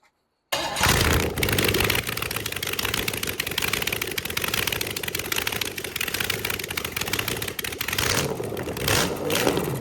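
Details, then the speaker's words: Freshly rebuilt small-block Chevy 350 after successful cam break-in, valve cover leaks fixed, timing slightly off: starts at once and settles to an even, slightly lumpy idle with a steady cam beat, no knocks or ticks; normal. "So, that wraps up for this one, and I'll end it with uh a little bit of idling. Enjoy."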